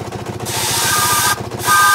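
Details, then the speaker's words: 4.5-inch scale model showman's traction engine in steam, first run of the year, near 110 psi working pressure, timing freer in forward than reverse: quick, even exhaust beats with tonal sound over them; safety valve popping; running freely. "i'm going to stop talking for a while and turn the sound volume up so you can hear the engine running"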